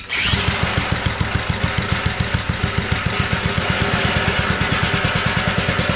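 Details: Abandoned garden tiller, first run on two-cycle gas while leaking fuel: quick, even thumping that revs up only on choke, a sign of a clogged carburetor needing cleaning.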